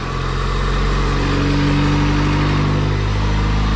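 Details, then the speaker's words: Honda B18C1 GSR engine in an AWD CRX on its first start, run briefly with no coolant; it gives a smooth, even low idle with no ticking or stumbling, no leaks, and is quiet and healthy. "no leaks super quiet we don't have coolant in it so i'm not going to run it for too long but yo the engine sounds freaking amazing"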